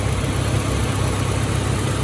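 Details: Mitsubishi Starion/Conquest G54B after rebuild and first start: steady, even, low idle with no knocks or misses, checked under 1,000 rpm after distributor timing was corrected by one tooth to 10° BTDC; the engine idles cleanly.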